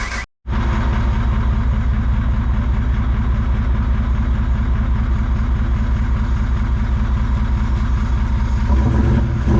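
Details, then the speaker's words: Toyota 1VD V8 turbo diesel swapped into a Jeep (J200), first start after fuel system work: short crank, then the diesel catches and settles into a steady, even idle clatter with no misses or knocks; normal idle. "it runs it runs right pretty stoked about that so that is a running 1 VD powered j200"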